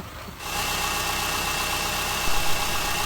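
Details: 2005 Subaru Forester 2.5 SOHC boxer, after redoing an incorrectly installed timing belt that had caused knocking: it catches and settles into a smooth, even idle with a steady low hum and no knocks or ticks.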